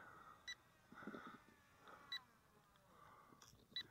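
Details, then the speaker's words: KFPLAN KF700 J-20 brushless RC stunt plane (135 g with battery) in flight: short high double beeps repeat about every 1.5 seconds over faint motor hum, a warning alert before landing, likely low battery. "okay we're getting some alerts here that almost got me folks but we got a land hear that beeping let's bring it in"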